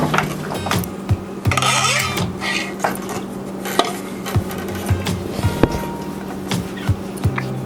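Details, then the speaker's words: Restored old barn loom, four-shaft weave of rag rugs: hollow wooden bangs and clacks about once a second with each beat over music; frame is loose-jointed with dried-out wood and probably needs shimming, but weaves adequately. "it's very loose jointed all the wood is dried out and honestly everything probably needs to be shimmed but it works well enough that you can weave with it"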